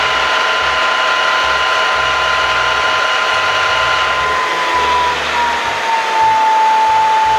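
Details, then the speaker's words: Bridgeport Series I milling machine spindle after head removal and repair (previously lost speed partway up, reported stuck keyway): smooth steady hum with clean tone sliding lower as speed drops, no knocking or grinding. "there it is back on the machine listen at this now you heard it earlier the first video before now listen to it after"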